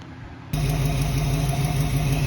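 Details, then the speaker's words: 1968 Ford Mustang just test-fired after replacing HEI distributor with model-appropriate distributor and coil: lumpy steady low idle with a recurring puff in the exhaust note, a small exhaust kick. "all right so we got it all wired up test fired it running sounds good got a little exhaust kick you can probably hear that"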